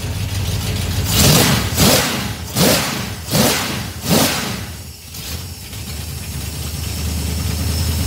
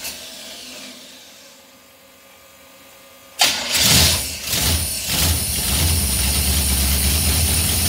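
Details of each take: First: Small-block 307 V8 with FiTech EFI, deceleration IAC set to +20. Five quick throttle blips, then the revs hang and sink slowly back to idle; this setting didn't work, so the return to idle is too slow. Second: Small-block Chevy 307 with FiTech fuel injection, cold and unstarted at about 40°F. After priming, it catches on the first try in about three seconds and settles into a steady, even fast idle. Normal cold start.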